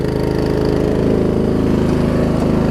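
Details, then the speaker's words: Murray Select 42-inch 16.5 hp riding mower, just started and warming up, recorded on GoPro: steady quick single-cylinder putter still slightly uneven, expected to smooth out when warm; normal idle. "GoPro just picked that up, but you can feel the exhaust all the way over here. Probably a good 5 feet away from the mower. It's kind of cool. If you hear it warming up, it'll smooth out."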